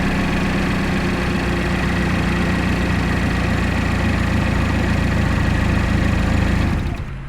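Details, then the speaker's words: 2012 GMC Terrain 2.4L EcoTec after timing chain and balance chain replacement, final start: smooth even idle with steady low hum, no tapping or rattle from the front; healthy engine. "So now that sounds like a nice healthy engine."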